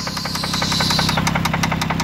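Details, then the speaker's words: 2002 Toyota Solara petrol engine at idle, engine cover off, no check engine light: quick steady ticking knock about ten to eleven beats a second, loudest at the rear cylinders; suspected fuel injector, not confirmed; oil looks fine. "this thing knocking coming from the engine yeah could be a lot of things probably fuel injector for one of the cylinders in the back because the noise primarily comes from here"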